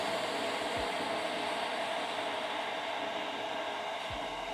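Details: Skywalker V1 roaster with the bearing drum support mod, new large cooling fans drawing about 2.5 A: steady, even rushing whir near 600 Hz, no rattle or grind. Normal fan operation.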